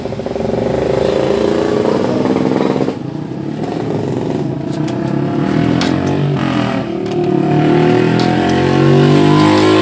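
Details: Honda Supra 125/Karisma single-cylinder after clutch plate installation, with exhaust refitted and oil added: fires evenly and climbs cleanly with throttle, no rattle or slip noise. Runs healthy.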